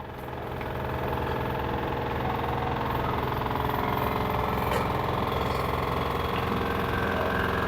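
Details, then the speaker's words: LG washer, model F4V5RGP2T, under one year old, running empty in quick test mode with the top cover removed: loud, steady roaring hum with a faint tone building as the drum spins up; abnormal spin noise, cause not confirmed. "This is the noise from the machine, abnormal noise while running time."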